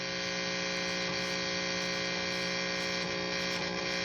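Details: Left-handed Fender Stratocaster: steady loud mains hum and buzz with no guitar signal, from loose input jack with broken ground wire; fixed by repairing the jack.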